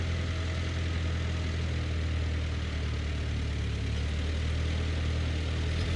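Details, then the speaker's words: John Deere No. 5 sickle mower on a tractor PTO under cutting load: even, unbroken low tractor drone with no knocks or clatter; it cut the grass perfectly fine, drive running smoothly. "know that wasn't the tallest grass ever, but it cut it perfectly fine. And taller grass will actually probably cut easier too, because it won't want to lay over as easily."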